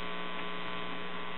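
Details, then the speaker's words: Circa 1941 Aircastle AM tube radio chassis (radio/record player combination): with the shot filter capacitor still connected, a steady low mains hum/buzz comes from the speaker with nothing playing; the capacitor must be replaced. "however with it connected in its current shape it will keep the radio from playing hearing a buzz and the speaker"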